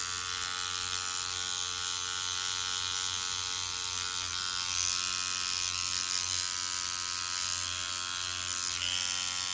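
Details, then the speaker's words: Hummingbird 2 rotary tattoo machine, repaired after running very dry, set to 7 volts. Steady, smooth, high-pitched buzz at constant speed with no stutter or grinding; normal running. "Voilà, moi j'aime bien quand elle est comme ça. Voilà. Et à 7 volts."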